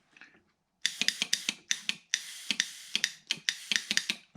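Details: Jeep Grand Cherokee NAG1 transmission shift solenoid bench-tested with a starter-type switch and power: crisp, dry clicks in quick irregular bursts; solenoid opens and closes cleanly with no sticking.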